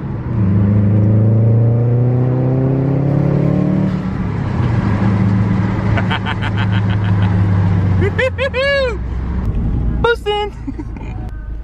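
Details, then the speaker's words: Subaru WRX (2002–2005) accelerating after new EVAP hoses and tightened intake manifold nipple, reaching 15 psi; smooth rising note, no hesitation, boost more direct. Normal acceleration under boost. "car's running great the boost is more direct i think after i got that nipple off the intake manifold a little tighter"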